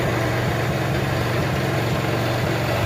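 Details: Honda motorcycle after full engine rebuild, kick-started with choke: even steady single-cylinder putter at idle, no knocks or rattles; smoke from exhaust due to diesel washing; healthy engine.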